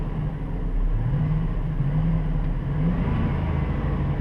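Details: 2007 Dodge Durango engine revving above 2000–3000 rpm after replacing the serpentine-belt idler wheel: smooth, even low rumble, and the earlier whine that rose with rpm is gone.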